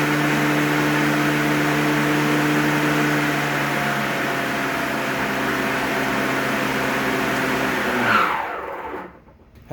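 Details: Greenworks 60V 25-inch mower blade motor, spun up then turbo engaged: steady even hum with clean tone at speed, winds down at end; healthy.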